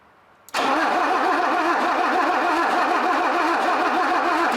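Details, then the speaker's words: Mercedes 250 (W114) parked for decades, cranked via remote switch with spark tester fitted and spark confirmed, starting fluid used; steady rhythmic churning with even compression pulses, never catches; cranks but won't start, cause unknown. "so we've got a key we've got spark we've got the engine turns over so why don't we have a little bit of a cough"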